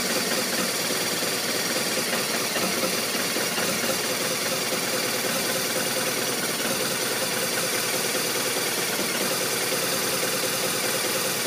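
The idle sounds uneven, with loose, irregular thumps and no steady beat, so this boxer twin is clearly running rough.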